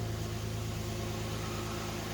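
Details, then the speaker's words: 2010 Nissan Maxima 3.5 V6, right after replacing bad cylinder 5 ignition coil (P0305 and multiple-misfire codes cleared), idling at the tailpipe: smooth low hum, no stumbles, popping or smoke; normal idle, misfire fixed. "so far running pretty smooth seems to be running all right that one down let's go check out the exhaust running pretty smooth no misfires no putting no smoke"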